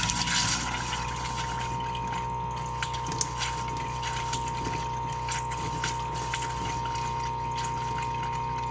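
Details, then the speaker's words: Floe 868 drain-down system compressor during a static caravan drain down, kicking in again to blow out the cold water line after pressure builds back up: steady mid-pitched hum with some splashing and handling noise. Normal running. "Once it's stopped, we'll try the same on the actual cold water. Now it's stopped. We'll do it on the cold. And the machine again kicks in."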